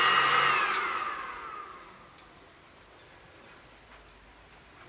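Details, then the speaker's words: xTool RA2 Pro rotary engraving a drinking glass at 100% laser power and slow speed: fan hiss dies away, then sparse sharp ticks of the glass cracking from too much heat; job stopped at once and a glass chip popped out. "All right, so I stopped that one right away due to the fact that I could hear the glass cracking. It may be a little too hot there with that 100% laser at that slow speed."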